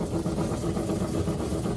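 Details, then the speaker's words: Old obsolete Gem King lapidary saw running with its newly installed replacement drive motor while cutting stone: a steady, even motor drone, low hum and blade cutting noise, no knocks or squeal; working well. "seems to be making really good progress. Working good."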